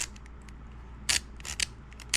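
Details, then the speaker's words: Sega Dreamcast optical drive while seeking: irregular sharp clicks and scratchy bursts, louder than normal; owner suspects the laser sled rails have run out of grease. "So, I am curious as to know what is causing all that noise. And I'm thinking that it has just simply ran out of grease along these rails that it runs"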